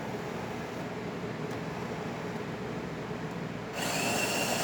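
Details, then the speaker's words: Jura A9 espresso machine test shot, grinder grinding two servings of espresso, dumping the first and regrinding; low motor hum stepping up into a sharp, steady grinding whirr; normal grinder operation. "It's going to grind 2 servings of espresso. Here's the first one. Now it's going to dump that out and regrind."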